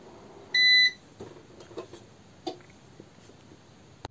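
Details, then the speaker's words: TRANNERGY SGN4000TL solar inverter at startup with no grid connected: a single clear beep as it shows the utility loss error, followed by faint clicks. "from there, and then it starts and gives the error that utility loss, as we have no grid connected to the line."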